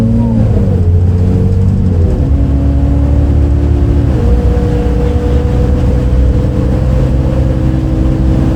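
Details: Recorded 07-03-2022 aboard 2008 MAN Lion's City A37 bus 3477 (MAN D0836 LOH 63 diesel, ZF Ecomat 6HP automatic) on line 8 Eindhoven. Diesel drones and climbs under load, pitch dropping at gear changes, with an odd droning note; cause unknown.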